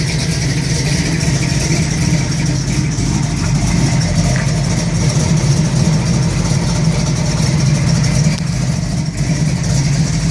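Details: 1971 Camaro SS 402 big block at idle: deep heavy rumble with a loping, uneven beat underneath; rough idle, cause not identified.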